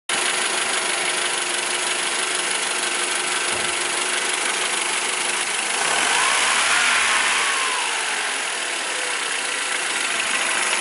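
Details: Mercedes M102 engine after replacing the belt tensioner pulley that caused the noise: steady even idle, smooth hiss, no squeal, rattle or chirp from belt side; noise gone, normal idle.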